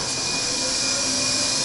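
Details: Old Otis traction elevator, machine room overhead, original motor, car sent down: smooth constant whine with steady high tones, no knocks or grinding; normal hoist motor running.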